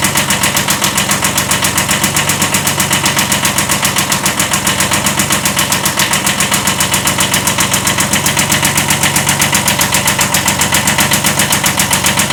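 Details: 1979 Kubota B7100 tractor, old D750 diesel at idle: hard evenly spaced clatter about four beats a second; slight rod knock.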